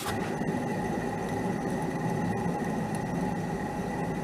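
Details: 1968 Bridgestone Chibi two-stroke, three-speed mini bike left about 30 years in the woods, its wheel spun by hand after oiling with rust coming out. A steady gritty rumble with a faint whine: a dry, rusty, rough wheel bearing, though the wheel now rolls.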